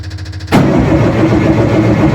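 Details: Rebuilt Nissan Micra stock car engine, first start after rebuild with fresh oil: quick rhythmic cranking chug for half a second, then sudden strong steady roar as it fires; normal cranking and start.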